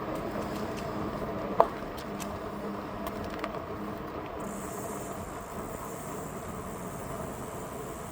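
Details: Aventon Aventure.2 e-bike while riding: a single sharp clunk and then a fainter knock over the motor hum and road noise.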